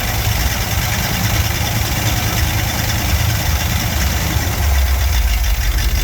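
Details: Barn-find Cadillac 7-litre V8 first firing after 30+ years, after new spark plugs: deep, steady low rumble with an even beat and no knocks or misses. Normal idle.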